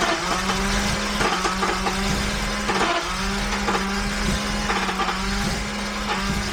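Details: Abandoned rare Jaguar XJRS V12 on an external fresh fuel system with good spark, fuel pressure regulator swapped, now tried at full fuel pressure; starter whirs with uneven chuffs and weak catches that never take, flooding right away, won't start.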